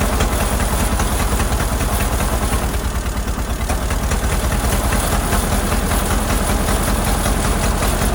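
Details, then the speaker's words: Ford Model AA doodlebug four-cylinder after a carburetor swap: stumbling idle with pulses that skip and lurch instead of a steady beat; shorting the plugs points to cylinders 3 and 4 misfiring, and a stuck-open valve is suspected. "well as I suspected there's something going on with a couple of cylinders I used a screw screw driver to short out the plugs best I could it looks like something on the back end back here on number three and number four aren't working too good"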